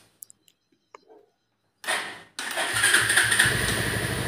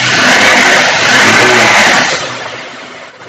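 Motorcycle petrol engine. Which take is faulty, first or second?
second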